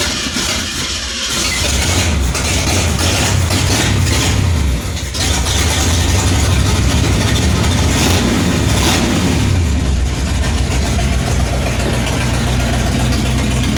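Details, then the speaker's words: 1966 Ford Mustang after new fuel tank and brake work: very loud, raw, lumpy idle with harsh open rasp and throttle blips; exhaust broken off, running straight off the header on one side. "Uhoh, I can hear it now. So, what is going on with this exhaust system? Do we have any exhaust system? I think we're running off the header."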